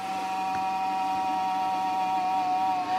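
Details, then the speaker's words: Old desktop PC powering on with a 40 GB hard drive fitted: steady mid-pitched fan and drive whine during boot, no knocking or grinding; normal boot noise. "let's hit that power button don't worry about that noise it's completely normal there it is booting"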